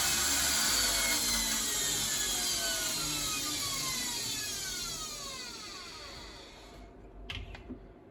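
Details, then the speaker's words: Bosch WFF1401 washing machine motor after new bearings and brushes, on fast spin: loud high whir sliding down in pitch as the drum slows, with a coarse rough edge throughout. "So I would say that sounded pretty rough."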